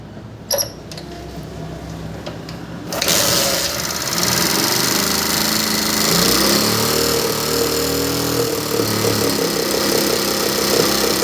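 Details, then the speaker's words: Chinese motorbike that won't rev or pull load. After a start-up catch it runs harsh, hissy and uneven, with sound coming from the air filter instead of the silencer. Rough running, won't rev. "तो आपने इसी का जो है वह sound भी सुना और जो है इसका आवाज़ बहुत ही खराब है और ये रेस भी नहीं ले रही"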